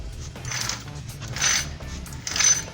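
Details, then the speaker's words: Motorized bike engine turned over: rough scraping grind in bursts about once a second with a visibly wobbling part; worn bearing in the clutch side, inside the engine, about to seize. "Os rolamentos tá querendo cavalar. A gente vai tirar pra ver qual peça tá estragada. Mas é na embreagem, tá? Representa que é dentro do motor."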